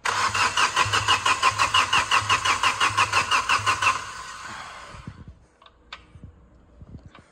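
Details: Diesel engine from a flood-hydrolocked car, water drained, injector lines bled one by one with an 18mm spanner: even starter cranking about three beats a second for four seconds, never catches, then stops; air still trapped in the injector lines.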